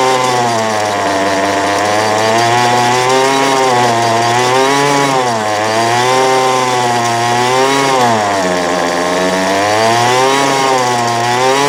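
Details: 2008 Poulan Pro PP25E 25cc straight-shaft trimmer, abused, with misrouted fuel lines and a clogged carb screen, running again after cleanup: steady high two-stroke buzz wandering slightly in pitch with mild surging, burning off garbage and smoking; still needs carb adjustment.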